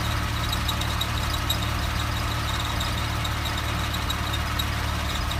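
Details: 2007 Porsche 997 Carrera 4S: steady thin high whine over even low engine hum, unchanging pitch; whining/squeaky noise, source unknown.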